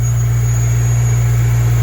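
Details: Lexus LS400 after a loose fuel filter element was found blocking the fuel pump, which had an OE replacement pump: a strong steady low hum holds constant with no stumbling or surging; normal running.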